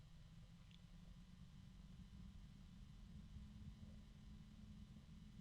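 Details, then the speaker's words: Evercool EC7015M12BA slim 70mm 12V 3-pin ball bearing fan at minimum voltage: slow quiet steady hum with faint rough bearing murmur; bearing noise fades as speed rises. "7015 M12 bis and boy a I can hear some action from the ball bearings that's minimum voltage that it'll allow me to work go"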